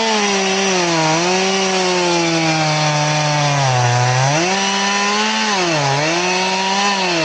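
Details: Two-stroke chainsaw with chain filed to 10 degrees, cutting a round: bogs and surges under load, pitch sagging deep in the cut; slow cutting like a dull chain, from the wrong filing angle.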